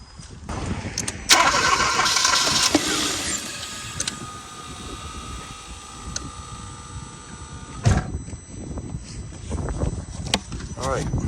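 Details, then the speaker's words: 2015 Kia Forte 1.6L turbo no-start that cranks but won't run; with starting fluid sprayed into the intake it fires only briefly, running a few seconds before fading. It has spark but no fuel, a fuel delivery failure. "try to start it just spins all right let's try something real quick"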